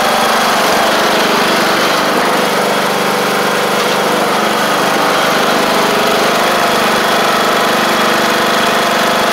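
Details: MTD Craftsman LT1500 riding mower after engine swap: steady, even single-cylinder buzz holding constant speed without stumbling or surging; running properly.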